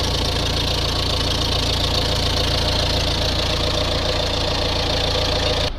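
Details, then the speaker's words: Renault Trafic diesel van at idle, slight metallic timing-chain rattle over the diesel clatter at the front, as usual on these; van in for a DPF fault returning after a mobile DPF clean. "start the engine up and as usual on one re you can hear the timing chain a little bit rattly there"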